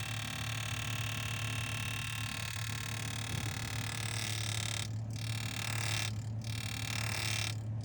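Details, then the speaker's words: Refrigerator evaporator fan, not GE, installed tilted slightly up instead of straight, rough buzzing drone with low hum as the blades rub under pressure; temporarily mitigated with zip ties, proper fix is realigning the fan. "the fan is tilted slightly up when it should be straight so what happens any pressure hits it it makes a noise"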